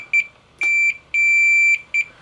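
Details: Pioneer SX-1050 receiver rebuild, continuity tester on the output transistors: four sharp high beeps and a long steady tone show all four shorting to chassis. The insulator pads had been changed and the screws were possibly overtorqued; once corrected, nothing shorted.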